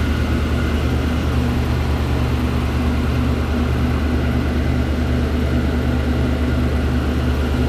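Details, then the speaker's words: 2013 Chevy Tahoe LS V8 had an exhaust tick from a broken rear manifold bolt. Started cold after fitting a Dorman 917-142 manifold clamp, it gives a steady, even low rumble with no exhaust tick, so the leak appears fixed. "all right seems good to me I think uh I think that did our trick let me uh shut it off right quick all right cool so looks like it did the trick for now"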